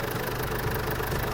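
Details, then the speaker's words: Ford Ranger/Mazda BT50 diesel at idle after the leaking injector sealing washer was repaired: a steady, even clatter with no hiss or puffing from the injectors. The leak noise is gone: normal idle. "รวแล้วนะนี่เดี๋ยวให้ฟังเสียงอ่ะไม่มีร้วเลยอดับเครื่องก่อน"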